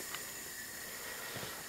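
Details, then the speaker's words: Mastercraft (MTD) 24-inch snowblower, 5 hp Tecumseh engine, no power under load, bogs and stalls: steady faint hiss of air out the exhaust during a leak-down check, low compression from a leaking exhaust valve that isn't sealing. "I'm just gonna cover up the exhaust part and actually feel air coming out of there so we've got a bad exhaust valve"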